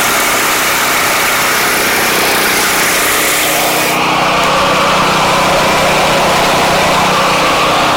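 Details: Giant Vac thatcher power rake, model 5ICT, after restyle and restoration with engine not disassembled: small petrol engine holds a steady, even drone that lifts a notch partway through, no misses or knocks; running healthy.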